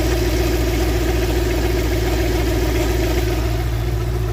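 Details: Engine running at a steady idle with a loose rhythmic beat of about three or four per second; the lower pulley is suspected but the source is unclear.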